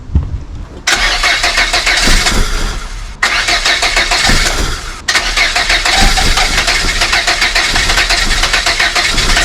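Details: Volvo 480 with a mysterious fault where the engine dies almost immediately after starting, just reassembled with new sensors: three times it fires, runs a second or two, then cuts out abruptly, with a weird sound; starts but won't keep running, cause unknown.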